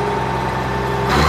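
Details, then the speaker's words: John Deere 544B wheel loader diesel, just started after 23 years parked, needing only batteries: low, steady rumble at even idle, no knocks or misses; engine running cleanly. "i can't believe that 23 years he said all it needed was batteries he was right"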